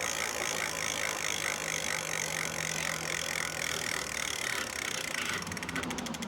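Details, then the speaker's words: Lectric XP 750 folding eBike hub motor after parts replaced: no motor hum under the hiss, then quick even ratchet ticking as the wheel coasts; hub freewheels normally. "Yep, and I do not hear a humming. It sounds like it's freewheeling just fine right"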